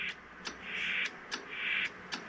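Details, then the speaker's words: Pearce Simpson Bengal 23-channel AM/SSB CB base station (c.1974-75), first power-up in over 20 years: light, crisp transmit relay clicks as it keys on and off, quiet with a little pop, no chatter; relay working normally. "Hear that little relay in there? Very nice and quiet. Little pop there."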